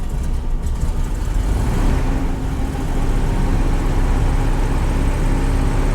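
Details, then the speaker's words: 1968 VW Type 3 after master cylinder and rear soft line replacement, timing backed off a few degrees over overheating concern: slow starting, rough air-cooled idle with a steady faint buzz from the frame-mounted electric fuel pump, no isolator. "she's slow starting I don't have pick up my mic but you can really hear that fuel pump"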